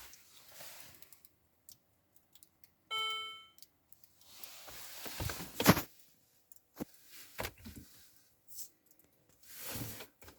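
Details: Peugeot 607 2.2 HDi 98 kW (133 bhp): one short chime, then scattered clicks and knocks with no cranking; dead electronics, display says "Changing to power saving mode", no start, cause unknown.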